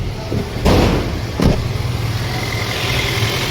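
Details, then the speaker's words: Toyota Corolla petrol engine after the faulty No. 2 ignition coil that caused misfire and heavy vibration was replaced with an original coil: steady, even low idle hum with no vibration at the gear lever, following two brief handling thumps. "यह देखिए guys हमारी गाड़ी पहले कंपन बहुत हो रही थी अभी देखिए गियर के पास देखिए अभी कंपन नहीं हो रही है एकदम परफेक्ट हो गई है"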